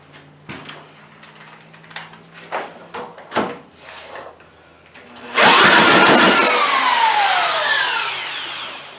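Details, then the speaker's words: Craftsman 140cc lawn edger: several pulls fail, then it bursts into a loud, ragged, uneven run that slowly settles; runs rough, valves misadjusted, oil blowing from exhaust and likely oil-fouled plug. "that was a start so so all right it runs runs like hammered but it runs"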